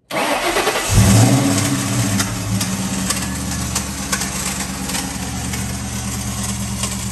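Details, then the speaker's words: Ford Mustang: cranks, catches, idles with irregular metallic ticks and faint scrape; starter not fully disengaging, dragging on flywheel, which was marred but no missing teeth. "finally we checked the starter and it definitely sounded like it was coming from the starter so our idea was the starter was probably not fully disengaging and it was dragging on the flywheel"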